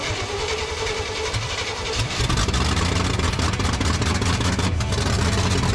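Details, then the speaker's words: 1970 Chevy truck, carburetor reworked after flooding and breaking down on highway: brief crank, catches and settles into loud, steady, even idle with no misses or knocks; normal start and idle. "Man, that thing runs good now. It's loud."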